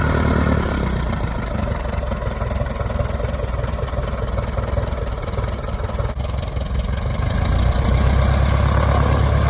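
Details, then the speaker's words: 1946 J-3 Cub engine at first start after a four-year restoration, warmed to a little over 100: a deep, even propeller drone that firms up slightly toward the end. Smooth firing, mags and carb heat checked good. Normal idle and run-up. "we got it all running fired off everything there ran great took a minute to get the lines there all primed up"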